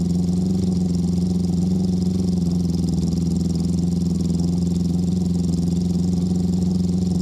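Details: Honda CB650 after fitting new aftermarket CDI units to fix number three cylinder misfire, now warm: steady, even fast-idle drone with no dropouts or stumbles; all cylinders firing, normal running.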